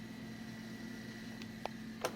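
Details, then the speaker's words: Macintosh SE, first Macintosh model with a fan, small fan in the back, after shutdown: faint steady hum with thin constant whir, a couple of clicks; fan sounds healthy. "This is also the first model of Macintosh to have a fan in it, which you can probably hear now."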